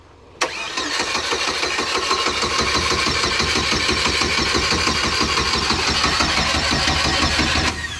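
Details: Turbo Cavalier that ran earlier, with some gas in it: the starter cranks steadily at about three beats a second for seven seconds and it never catches; the cause is unknown, and a new fuel filter follows.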